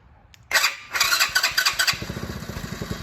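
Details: 2020 go-kart small engine right after a PZ20 carburetor change: pull-start rattle, then it catches with a few quick pops and an uneven putter that fades and dies instead of holding a steady idle.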